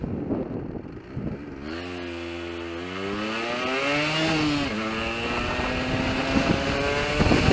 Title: RD125LC YPVS Splutter/Misfire